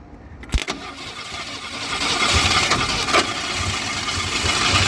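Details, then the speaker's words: GM Andino truck with a swapped-in Ford V6, no fuel in its smoked carburetor: a sharp crank and pop, then a rough, ragged burst of firing on starting fluid that builds briefly. The engine fires briefly. "We obviously have no fuel in the carburetor smoked, but watch this and listen closely."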